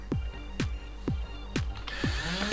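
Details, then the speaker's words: Nerf Rapidstrike after replacing a broken axial inductor and insulating the mag lock switch: quick whirring flywheel spin-ups about twice a second, each winding down smoothly without grinding or stutter; motors now working normally. "so you can hear the motors are working and if I pull the trigger then you'll see the pusher working as well"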